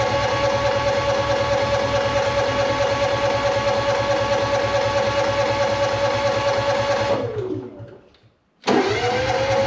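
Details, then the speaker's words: Honda EU6500iS inverter generator bought unseen at auction, battery and fuel valve on: starter drones about seven seconds without catching, winds down, cranks again; cranks but won't start, varnished old fuel and carburetor suspected. "I just want to see if it will crank up because I mean it's a Honda I I full on kind of expected to just start but I could be proven wrong"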